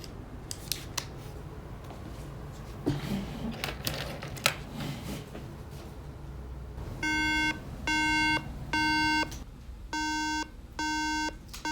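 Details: 2011 13-inch MacBook Air at power-on: repeating groups of three sharp high beeps, no other activity; three-beep memory error code.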